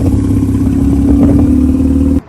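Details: Mazda RX8 manual rotary, bought not running, fires straight up; steady smooth buzz with a quick rev blip, then shuts off; normal running, sounds healthy.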